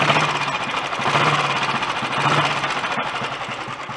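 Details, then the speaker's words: Early Redditch Royal Enfield 350 Bullet single idling, warming up hot after new oil pumps and carb pilot jet cleaning. Steady, even big-single thump with no misses, knocks or rattles; running nicely, earlier oily bubbling gone. "I'll probably keep it running for a little bit longer. Just get it nice and hot, and it's warming up a good bit now. Seems to be running nicely anyway."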